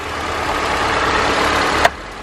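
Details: Smooth, settled idle hum with a steady tone and no ticks or stumbles on a 2007 Honda Accord left running after a new starter was installed; normal idle.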